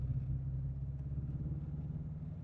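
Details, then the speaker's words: Renault Clio 172 Cup at a track day, misfiring and running on three cylinders: lumpy low idle with a regular pulsing dip. It previously cleared once warmed after standing. Plugs, leads, coil pack, fuel rail and injectors were checked, then it cleared. "It's It's misfiring. It's running on three cylinders now."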